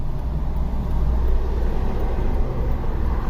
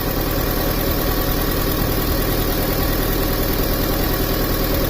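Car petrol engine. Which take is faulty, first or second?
first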